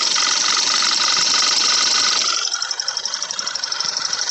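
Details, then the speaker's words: Audi B8 A4 at idle: fast, even ticking that speeds up then stops is normal purge valve cycling, along with normal injector tick. "so next time you hear it put your finger on this thing and if it's clicking that's the purge valve it goes faster and faster then it stops"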